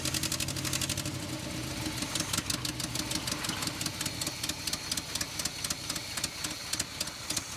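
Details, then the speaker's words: 1970 Chevrolet K10 4x4 V8, abandoned 26 years, compression readings uneven: uneven loping idle with irregular puffs and stumbles, better than before but still sounding like a dead cylinder or big misfire; cause unconfirmed. "I think it's better but still sounds like it's got a dead hole or a big Miss"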